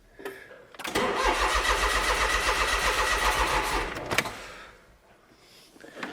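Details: Car with a long-running no-start, after the fuel pipework was reconnected and the battery recharged. The starter churns steadily at about four beats a second for three seconds; the engine coughs but never catches.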